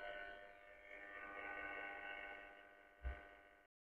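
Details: Loewe Opta Rheinperle 4716W tube radio during restoration, after capacitor replacement, first whole-radio power-up via lamp limiter at about 163 V: steady layered hum from speaker with no programme; cause not yet known.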